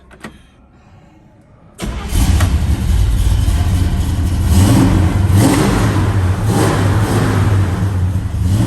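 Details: 1964 Chevelle Malibu, 350 V8 with 4-speed manual: cranks briefly, catches at once and settles into a deep, steady, even idle with light blips. Alternator, belts and hoses are good, and it runs well.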